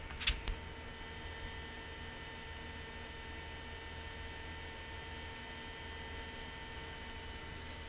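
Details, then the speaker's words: Mercedes non-ASR throttle body, cleaned and repaired, on a bench test after 2–3 days energized with the coil hot: a faint steady metallic hum with high whistling tones, normal. The idle contact switch clicks. "so it is energized you can hear the humming sound from the"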